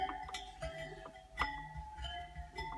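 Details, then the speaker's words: Bicycle wheel being spoked, spokes plucked to check tension: short pings around 700 Hz, one a touch higher in pitch than its neighbours; that spoke is slightly over-tensioned. "that one that is a little too tight"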